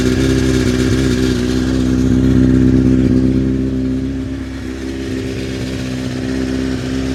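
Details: Honda CBR900RR Fireblade inline-four, just fired up while checked for an owner-reported fuel smell and drips: engine swells and settles with a light metallic rattle over the steady beat, a very rattly, worn, slack cam chain; carbs also leaking fuel.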